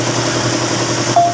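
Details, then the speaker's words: Toyota Rush petrol engine at idle, started after an oil change and check-up to circulate oil: steady, even, smooth low hum with no knocks, ticks or misses; running cleanly, like new. "Yun. Napakatining naman ng andar, bagong bago pa."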